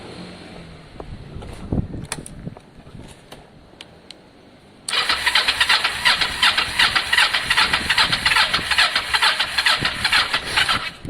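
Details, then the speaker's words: Kawasaki ER-5 motorcycle being revived, battery possibly low: steady cranking at about two and a half beats per second that never catches; turns over but won't fire, spark suspected lost, not confirmed. "of course spark has gone again which is always a possibility right"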